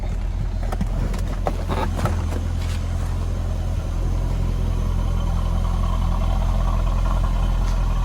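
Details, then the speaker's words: 2004 Chevy Corvette C5 coupe, LS1 5.7L V8, 4-speed automatic, 81,451 miles, just back from the shop, started cold: steady even low rumble with no misses or knocks or smoke, slight belt squeak but nothing alarming; normal idle. "No smoke, sounds good. A little bit of a belt squeak, but nothing alarming."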